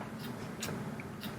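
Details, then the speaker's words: TEAC A-3440 reel-to-reel: with slack in the tape, the tension lever drops fully and trips its electrical switch, giving a few soft sharp clicks that shut off the capstan and reel motors; normal end-of-tape shutoff. "that click right there so there's an electrical switch inside so if this lever drops all the way down when the tape ends or if the tape were to break for some reason that just shuts off the cap standand motor"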